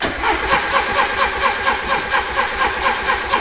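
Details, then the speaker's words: Turbo Miata cranking with no fire, about two beats a second, after the plugs were pulled and dried; it is flooded because the injectors were left plugged in and kept dumping fuel onto the pistons. "so last time I took the spark plugs out I forgot to unplug the injectors so it's still dumping it onto the Pistons"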